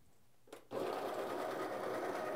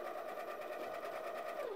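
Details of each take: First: Baratza Encore coffee grinder after disassembly and unclogging of the discharge chute: motor snaps on and settles into a steady high whir with an even crunch of beans; grinding normally again. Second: when the grinder is clogged the motor will run and the beans will hop around a little bit in the hopper but it's not going to do any grinding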